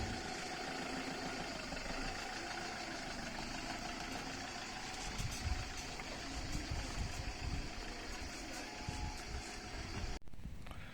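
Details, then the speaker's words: Ulyss on holiday after breakdown traced to a blown fuse: steady low idle with even rumble under outdoor noise; engine running normally again. "ben en fait c'était un [ __ ] de fusible de merde voilà ulysse reparti pour la route pour de nouvelles aventures"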